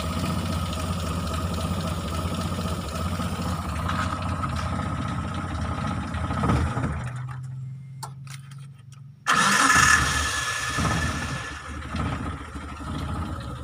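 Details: Mitsubishi T120SS fuel-injected, hard starting, sputtering and high fuel use: uneven stumbling idle dies after about seven seconds, then cranks and catches again; rough idle misfire, struggling to stay running.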